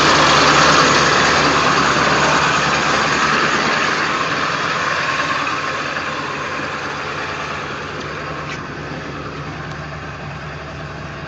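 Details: 1999 Ford F350 7.3L diesel after a cold start, plugged in overnight and unused for days: uneven, lumpy clatter and shaky rough idle, settling slightly; no check light, and restarting runs smoothly.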